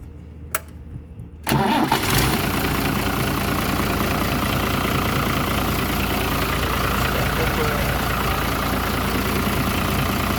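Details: New Holland tractor diesel, hard starting blamed on a burnt starter motor armature and starter replacement: quick crank, catches at once, settles into a steady, even clatter with no misses; normal start and idle.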